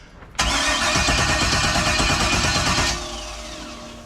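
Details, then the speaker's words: New LS 383 engine in Deathwish on break-in oil, first start attempt: loud, even cranking for about 2.5 seconds that never fires. Crank no start; distributor suspected 180 degrees out, and it smells like it's getting fuel. "we got something that ain't right dizzy 180 out wrong"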